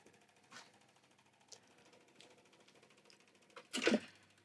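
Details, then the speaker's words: Retro jukebox record changer after eject, with needle-cleaning brush: soft mechanical clicks, then a louder clatter as the changer sweeps twice to check nothing is left to play and stops; normal operation. "Il balaye 2 fois pour vérifier qu'il n'y a plus rien à jouer. Et il s'arrête."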